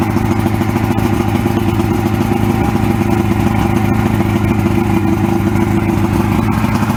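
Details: 1994 Suzuki 115 oil-injected two-stroke outboard, water on, with more Sea Foam added to a full tank: a steady, even putter holding a constant speed with no misses or stumbles; running healthy.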